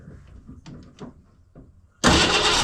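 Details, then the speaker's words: 1968 Ford Mustang after reconnecting coil wire, first run in about 20 years parked: quiet handling, then engine catches suddenly and settles into a strong, even, steady idle with no misses; normal idle. "dig it guys it's freaking idling wow man that's awesome I haven't heard my car running 20 years she sounds good too"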